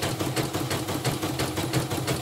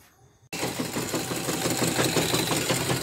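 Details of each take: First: Portable CNY embroidery machine after replacing the damaged bobbin case (sekoci); even steady stitching rhythm about six beats a second, no knocking, stitches not skipping; normal running, rotary hook to be replaced if rattle worsens. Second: Portable embroidery machine after hook area disassembled and smoothed, first test: fast, uneven clatter at stitching speed with a harsh edge; rotary hook still rough and needs rechecking, though stitching looks neat.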